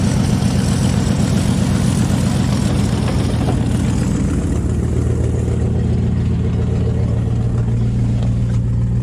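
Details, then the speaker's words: 1997 Ford F-350 4WD, 460 V8, automatic, 150,000 miles, sat a few days, no coolant (radiator busted): loud raspy low rumble with rough puffing edge at idle; exhaust leak. "yeah start it up decent enough won't let it run too long since there's no water in it but there's an exhaust leak in it"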